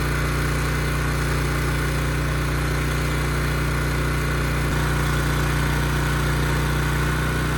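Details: Ridgid generator with Yamaha MZ360 engine, about 10 years old, unused 4 years, after rusted tank and carburetor repair. The steady drone dips briefly as the 3,000 W load comes on, then recovers smoothly and holds 60 Hz: normal running under load.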